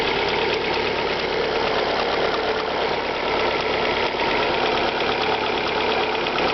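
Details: Alfa Romeo 156 1.8 Twin Spark on a cold start: light quick ticking over a steady idle hum; top-end engine tick, cause not yet pinned down.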